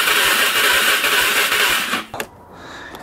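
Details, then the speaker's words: 2005 Can-Am Outlander 400 Max ATV, 5,486 miles and 612 hours, that a dealership couldn't fix. The starter cranks briskly and evenly for about two seconds but the engine won't fire. The owner doubts low compression and suspects a fuel issue. "So it actually does crank over here. Quick show you. So I don't think a valve let loose or anything. Let's see, click the start button. Turns over just fine."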